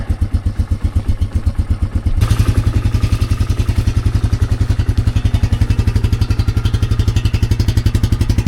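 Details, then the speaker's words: 2004 Yamaha Wolverine ATV single-cylinder warming up from pretty cold after shifter and exhaust repair and push-button start bypass: steady, even low thump at fast idle settling slightly; sounds way better, normal warm-up idle. "yeah that sounds way better oh my gosh"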